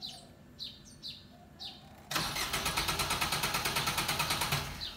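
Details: Suzuki car that always needs long cranking and won't start first time: birds chirp, starter cranks in steady fast chug for about two and a half seconds without the engine catching; hard start.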